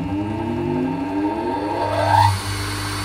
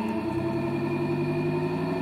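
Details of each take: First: Three-phase motor on a 240V single-phase supply with a marked dimmer, wiring tidied: the hum climbs quickly when given extra power to start, then settles to a steady drone when turned down; it runs fine with good torque. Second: Three-phase motor run from a 240 V single-phase socket with one start capacitor removed (three left): low hum creeping slowly up in pitch as it struggles to start, too little start capacitance.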